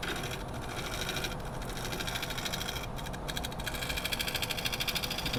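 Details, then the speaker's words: Woodturning a cracked maple bowl on the lathe, shear-scraping around the bottom: an irregular fluttering rattle under the cutting hiss as the tool chatters against the open cracks; tool chatter on cracked wood. "the chatter against the cracks is what that noise is."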